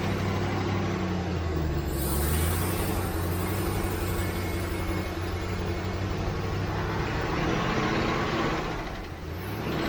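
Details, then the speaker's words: 1967 Ford Mustang V8, carbureted, first start after months sitting, after pouring in about 2 gallons of gas: steady, even rumble without stumbling or surging; normal running, lack of fuel was the problem. "Well, that must be what it was, because that's a lot better."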